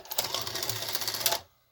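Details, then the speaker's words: 1984 Sanyo VCR 3 Beta VCR on eject; short whirring run of about a second and a half stopping abruptly, tape unspools weakly as transport returns; owner suspects a worn idler and plans to gum it up or add an O-ring. "Whereas as this transport is coming back in, it's putting slack on the tape. So when I hit eject, a little power, it's able to unspool weakly."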